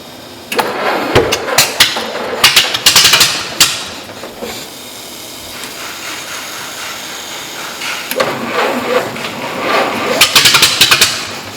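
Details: 1940s Model T racecar with foot throttle, spark retarded and choked, coil ignition and starter button: cranks, then catches in loose, uneven bursts of sharp firing rising and falling with throttle; old engine starts and runs fine.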